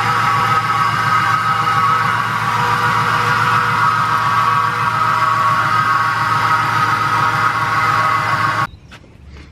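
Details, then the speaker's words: 1999–2004 Mustang GT V8 running after the belt was refitted: a steady high squeal with a faint grind underneath. The owner suspects the worn idler pulley, which grinds and shows burn marks; the accessory belt still squeaks. "But the issue is this idler pulley right here. If you listen closely, it grinds."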